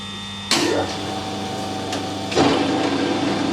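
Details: Straight-cut gears run again after a bit of oil was applied: steady mechanical whir with faint gear hum and a couple of clunks as it picks up; ordinary straight-cut gear noise, nothing wrong.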